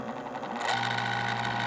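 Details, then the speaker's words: Old Vornado fan with a stuck, stiff motor, first power-up: motor spins up to a steady hum with a dry, slightly rough whirr underneath; dry motor bearings dragging. "it's not the happiest little machine in the world but it's running"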